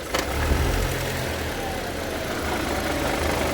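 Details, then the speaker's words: 2003 Audi A4, no transmission fault codes, knock when shifted into reverse or drive and moving off: idling engine gives a sharp click and low thud; worn transmission mounts allow excessive movement and will be replaced. "aquí nosotros nos damos cuenta que es problema de soportes eh de la transmisión vamos a reemplazar lo que son los soportes ya que al hacer el movimiento pues se ejerce una fuerza en la transmisión la cual al estar vencidos los soportes pues provoca este movimiento excesivo y notorio"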